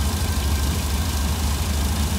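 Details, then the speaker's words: 1966 Cadillac 7-liter engine with Holley Sniper fuel injection, IAC unplugged at 0%, target about 750–780 rpm: smooth even low rumble with no hunting or surging; steady normal idle. "I got my target rpm set for about is 780 or 750 right in there somewhere but again like I said this is the smoothest it will ever be on this sniper on this 7 liter motor so I'm happy with this"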